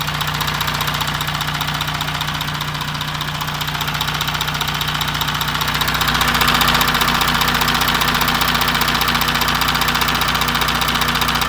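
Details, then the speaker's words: 2016 Audi Q7 4M 3.0 CVMD, about 170,000 km, heard at the chain tensioner before engine removal: fast even ticking, two or three a second, over a steady idle; chain stretch suspected, tensioners to be replaced. "Вот, мы решили заменить натяжитель цепи, то есть будем разбирать, снимать мотор и менять натяжители. Вот перед разборкой слушаем звуки."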